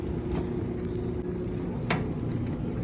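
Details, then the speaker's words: GE dryer that needed several cycles to dry, after repair and reassembly on speed dry with the heater glowing: a steady low tumbling rumble with smooth fan hum and an occasional light knock; runs and heats normally. "alrighty guys so that are all back together it's running just like we showed a little bit ago"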